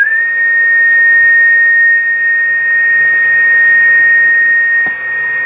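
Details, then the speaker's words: Heathkit Apache TX-1 vintage AM transmitter, first power-up before recapping, in transmit mode on 20 m heard on receiver at 14.250: clean steady high whistle, carrier present; VFO and mixer working, dial about 25 kHz off. "So it sounds like our mixing scheme is working also. So we verify that the VFO is working."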